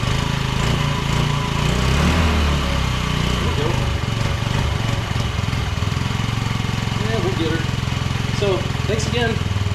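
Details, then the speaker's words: Honda Metropolitan 50cc scooter revived after years of abandonment: small single-cylinder ticking over at a fast, even putter outdoors; fires right up, idles steadily and sounds healthy. "well looks like I can redeem myself and get something back together not too bad fires right up"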